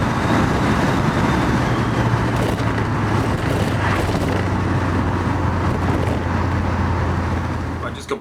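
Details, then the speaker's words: Porsche 928 automatic at full throttle after Bowden cable adjustment. Engine pulls hard, pitch steps down cleanly at the shift around 4,900–5,000 rpm, then climbs again. Normal automatic upshift. "I'm not unhappy with how that's working now that's changing about 5,000 RPM maybe 4,900 depending on uh how it feels if it's in a good good or bad mood but that's not bad"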